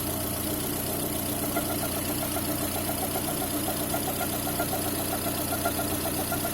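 A thin, steady whistle holds constant pitch over an even idle, possibly from the timing belt area.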